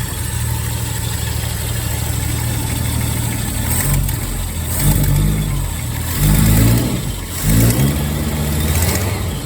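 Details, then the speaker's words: Ford Maverick (1970s) after valve cover refit: even idle then smooth throttle blips, no ticking or puffing; exhaust now exits out the back, far quieter up front, no longer splashing oil: sealed. "Oh, wow. That is a lot quieter. Now, the exhaust sound's coming out the back, not out here."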